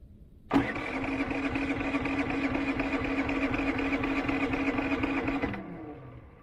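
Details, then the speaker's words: Predator generator with oil light on despite full oil, after unplugging what was believed to be the oil sensor (possibly the wrong connector): starter spins evenly about five seconds, engine never fires; cranks but won't start. "what the hell it's still seeing a little oil that this baby I disconnected the wrong green square come on man so disabling the oil sensor did not work"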